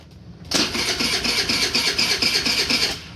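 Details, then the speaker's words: Starter on an old GY6 scooter cranks briskly and steadily for about 2.5 seconds on the key after a new battery was fitted. It is the first time it has ever cranked on the key; cranking is normal and strong. "seems to be crank and that's the first time it's ever done that with the key looking good"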